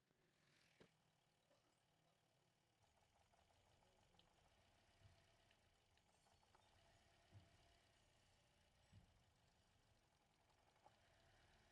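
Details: A rough, uneven idle with an occasional sharp pop from the tailpipe every few seconds, with a bad noise from the silencer; the engine is missing on a cylinder.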